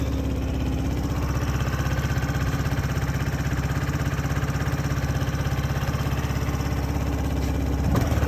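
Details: 2014 Yamaha Zuma 125cc scooter stored since 2017, first start after refueling: small single cylinder chugging at a steady even idle of roughly three pulses a second, no rattles or stumbles. It is running healthy.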